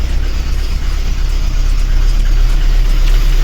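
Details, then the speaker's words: VAZ 21099 engine at idle, head previously repaired with valve seats replaced 20,000–25,000 ago: uneven, lumpy idle with a regular stumble about three times a second under a deep rumble; fourth cylinder lost compression and misfires, not overheating; head to be removed. "Ну давайте я вам запущу двигун і послухайте як вона працює у нас моя задача як можна бистріше її зробить і щоб машинка була встрою чуємо двигун наш"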